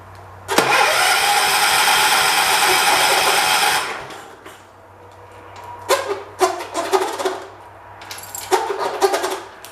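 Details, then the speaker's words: 1985 John Deere 212 (145th built), which sat 6 months with diesel mixed into the gas; the choke is frozen and the tank was primed. The starter cranks steadily for about 3 seconds without firing, then gives short stabs. A key switch or spark problem is suspected. Crank no start. "Interesting. I wonder if it's got a key switch problem. How good of a spark this engine's getting."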